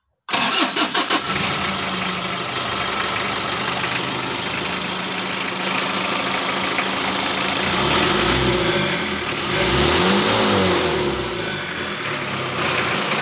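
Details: Mitsubishi L300 diesel with white exhaust smoke, after adjusting injection pump timing: cranks briefly, catches and settles into a steady, even idle with a blip of revs; smoke largely gone; normal start and idle.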